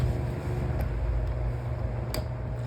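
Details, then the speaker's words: Household fan after its damaged blade was replaced: a steady low hum, running evenly in balance with no vibration, wobble or rattle. "as you can see much better in Balance no it's not vibrating or"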